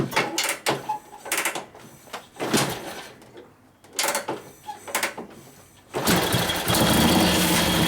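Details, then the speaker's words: 1941 Harley-Davidson WLD 45 flathead V-twin, 56ci stroker build, warm: several kicks, then a strong, steady, even beat; healthy, better than before. Later died from the petcock being off. "But yeah, it's definitely healthy sounding. It sounds better than it used to. Sounds like it has a cam in it."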